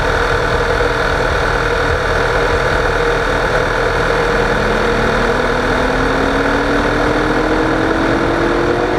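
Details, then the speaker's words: 2009 Volkswagen CC Sport idling just after startup: a loud, even whoosh of cooling fans running continuously from start, with a faint tone slowly rising. The owner suspects the SAM module or the ambient air temperature sensor. "so yeah you hear the fans more than anything they're late I don't know if I got a problem with Sam module this seems like they run continuously from when you started"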